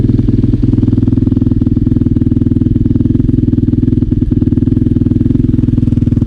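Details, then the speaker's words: KTM 450 dirt bike started after repair work, before a ride: single-cylinder idle thumping about four times a second with an uneven, lumpy beat and some clatter; still sounds rough, cause unclear. "so yeah still sounds a bit rough though but anyway as long as we get to ride and see how it to perform today"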